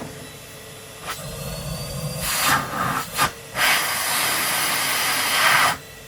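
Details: Numatic Henry HVR200 vacuum cleaner (street find) running on its Numatic base with a filter fitted: steady even rushing hiss from the motor between handling bumps, no grinding or labouring; a plastic rattle was just debris blown around, and the vacuum sounds healthy.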